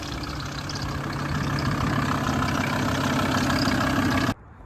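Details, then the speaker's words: VW T4 diesel idling after 3–4 months parked: uneven flapping slap about three times a second as the visibly loose auxiliary belt whips; owner suspects seized, rusty top tensioner (or worn crank pulley), before parts swap. "so as you can hear there's loads of noise coming from that belt you can literally see in the video it's slapping about so I think the tensioner at the top of the engine there I think that's the problem and I reckon that is seized up and not given my belt any movement"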